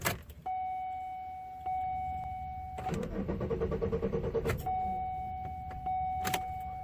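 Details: Chevy Malibu that would not start again just after a full tank of gas and a fuel additive: warning chime, then about two seconds of steady even cranking, and it never catches. Cranks, no start.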